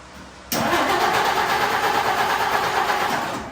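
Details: 1952 Dodge Wayfarer after carburetor float fix for flooding, not pumping the pedal: fires abruptly after a short crank, runs rough about three seconds, then dies; hard starting, fuel leak found afterward, flooding suspected.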